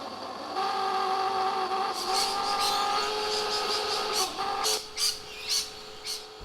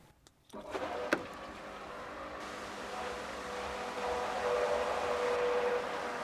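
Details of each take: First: Old worn-out Onga pool pump that has grown louder over weeks despite backwashing and cleaning: steady high whirring hum with several stacked tones; owner suspects the pump is simply worn out and replaces it. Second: New Davey pool pump replacing old loud Onga pump: click, then soft, even motor hum with steady mid tone, no rattle or grind; healthy and much quieter than the old pump.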